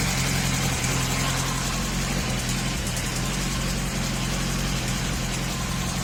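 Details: 2004 Honda CBR1000RR, warm engine below 3000 rpm: loose, uneven tapping about three per second over the engine note at idle; owner suspects manifold gasket, valves or con-rod, unconfirmed; abnormal engine noise when hot.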